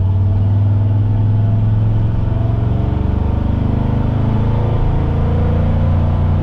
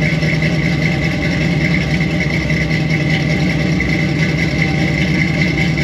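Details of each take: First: Squarebody Chevy C20 V8 with new Edelbrock 1906 four-barrel carb, stock automatic transmission, possibly aftermarket cam, on road test at about quarter throttle: deep, even rumble, steady pull, no knocks or misses, idle slightly high; normal running. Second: Squarebody Chevy C20 V8 with a new Edelbrock 1906 carburetor during tune-up, camera by the exhaust: rough idle with a steady high-pitched hiss from a large vacuum leak at an open carburetor port that needs plugging.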